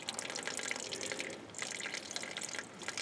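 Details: Ford Cortina MK3, engine off, after filling cooling system with a hose: fast irregular trickle of water running out between engine and transmission; owner suspects a frost plug pushed out by freezing during storage, hopes block isn't cracked; engine must come out.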